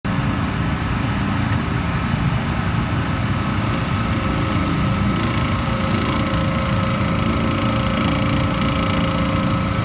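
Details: PAN760SF unit still making intermittent grinding after fan belt replaced: steady engine drone with rough gritty grind rising and fading; source unknown.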